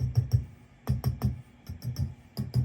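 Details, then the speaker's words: Peavey 5150 tube amp, bought new in the 90s and little played, with lots of background noise. Tapping the tubes sets off loud thumping clunks and crackle through the amp; the tubes are badly noisy and need replacing. "These are all incredibly noisy. This guy in particular, they need to go."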